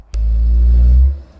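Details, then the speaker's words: Gas boiler firing after the flue elbow seals were replaced, with emissions good: a deep, steady rumbling roar during combustion, typically from a venturi needing cleaning; a stripped-down service follows. "I'm getting this noise this noise usually happens when the venturing needs to be cleaned so now we're also going to give this boiler stripped down service"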